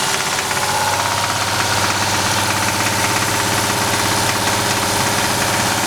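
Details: VR6 24V engine idling with a steady, hard knock about three per second; rod knock suspected, checked by pulling the coils one by one to see whether the knock stops.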